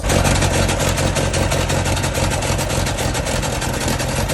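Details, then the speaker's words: Sailboat inboard engine running, loud raspy run with rapid puffing hiss over drone, pumping exhaust and water into boat, bilge flooding; huge exhaust leak. "you can hear the engine it's not sounding should healthy because it's spewing water and exhaust all over"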